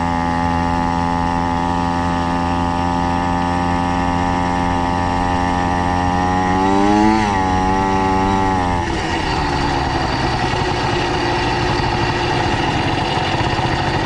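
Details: 70cc Minarelli two-stroke motorized bike after G2 reed valve modification, 32:1 oil, 87 octane, clutch fully disengaged: buzzy idle holds then swings up and sags; idle still unstable, head, squish, plug and timing suspected.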